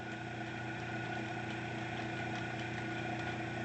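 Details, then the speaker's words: Cheap Chinese diaphragm airbrush compressor, rated to auto-stop at 57 psi: steady hum with even pulsing, runs but reaches only 10 psi; regulator appears to work; loose pressure switch on the head found. "so it should be capable of at least that but will turn on and runs generates pressure and we're getting 10 psi"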